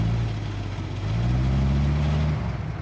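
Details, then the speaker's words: Chevrolet C30 Blitz / CMP military truck (about 1943), inline six-cylinder, sat 20 years, fed fresh fuel from a temporary tank (main-tank fuel stale, fuel pump untested): deep, steady six-cylinder rumble with an even beat, no knocks or misses; runs beautifully, healthy. "so there we go everybody sitting for 20 years with just a few basic little checks starts and runs runs beautifully listen to that sound of the six cylinder chevy engine"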